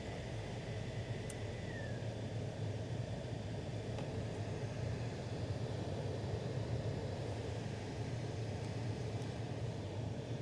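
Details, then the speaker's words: Toyota Altezza / Lexus IS300 after repairing the A/C servo actuator behind the dash that caused clicking: steady, even rush of air from the blower with a low constant hum and no rattles or ticking; noise gone, blower running normally. "Oh snap. There's no noise. It's gone. Looks like everything's working."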